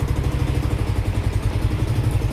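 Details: Yamaha Aerox with 62 mm top end, after bottom-end rebuild with new crankshaft for noisy lower engine, battery 12.22 V, slight throttle needed due to exhaust leak: even steady low putter at idle, no bottom-end knock; running smooth.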